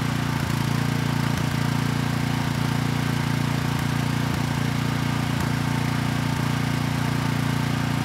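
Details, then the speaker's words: Briggs & Stratton Vanguard commercial-grade engine for generator swap, after assembly lube on journals: starts right up and holds a steady, even beat with no knocks or misses; normal running. "all right not too bad it started right up and the engine sounds good"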